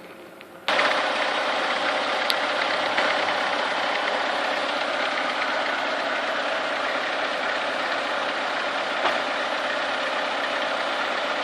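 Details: Chevrolet Niva engine at warm idle, coolant warming between 50 and 70 degrees: a loose, uneven tapping knock from inside the engine rides above the steady hum; the source of the knock is not yet identified.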